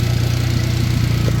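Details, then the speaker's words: Turbo Honda making 300 lb-ft of torque yet factory-smooth: smooth, even low idle pulse with no stumbles or skipped beats, idling cleanly. "I'm telling you, like, I say this all the time, but you wouldn't know unless you saw this car in person, guys. This thing is like factory, but it makes 300 foot-pounds of torque."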